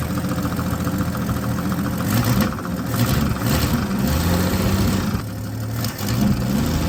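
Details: 1965 Ford Fairlane 500 revived after over 30 years, V8 after adjustments: lumpy idle with an occasional uneven beat and slight stumble on blips, still missing a little; engine misfire, knocking also noted, source unclear.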